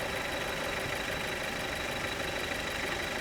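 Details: Car at idle with the clutch released: a constant rough, gritty rush with a thin high whistle over a quiet idle; the noise goes away when the clutch is pressed. Rough drivetrain noise, possibly a bearing, cause unconfirmed.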